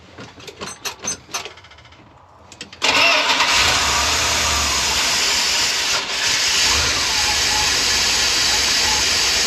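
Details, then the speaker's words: Retired ambulance barn find V8, first start attempt with fuel poured down the carb throat, fluids checked except coolant: seconds of cranking, then it catches and runs steadily with no misses or knocks; it runs and reverse engages, but the carb drips, gasket or stuck float suspected. "Well, that's exciting. She's a runner."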